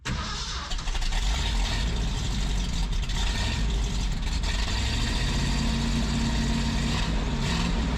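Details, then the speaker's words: 1978 Ford F250 4x4 from a stalled project, morning cold start recorded near the single tailpipe: it cranks, catches and settles into a deep, steady, fairly muted V8 idle. The exhaust now sounds sound and properly quiet. "Let's see how this thing sounds this morning. We'll even put you guys way over here by our single tailpipe."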